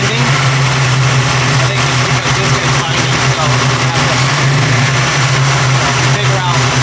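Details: 1989 Mustang notchback V8 with rebuilt carburetor, warmed to operating temperature after starting poorly cold: deep steady idle burble, even firing with no misses; running healthy.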